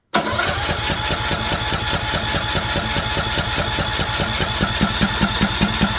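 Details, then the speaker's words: Craftsman LT2000 lawn tractor with choke working: starter churns steadily, about two and a half pulses a second, never catching. Cranks but won't start; owner bets the carburetor has no power (gray wire off the solenoid), not yet confirmed. "okay I'm gonna bet we don't have power to the carburetor"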